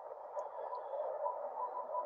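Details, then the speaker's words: Ham radio receiver on 3526 kHz, bottom of 80 m band, S3–S6: even rushing static with faint crackle and no strong bursts, ordinary distant lightning noise. "that's distant lightning noise that's not bad for 80"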